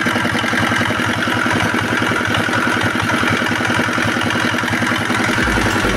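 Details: R180 single-cylinder diesel at idle after the old crankshaft was replaced; the oil pressure indicator now reads normally, unlike before. Steady, even thumping with no knocking or clatter beyond the normal chug, a healthy idle.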